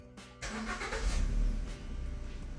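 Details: Suzuki, on start: engine cranks and catches with rough surge and clatter before settling into lumpy idle; abnormal startup noise, cause unclear.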